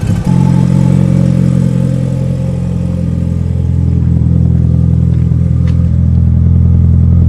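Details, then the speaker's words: Mitsubishi Evo 8 turbo four after rebuild following a melted, leaned-out piston, warming up with water in the cooling system: steady even idle, smooth low drone, no knocks or ticks. Healthy; about 15 minutes running with no leaks. "honestly she's actually running really good right now at Ido at least though but damn she sounds healthy again I am pumped guys"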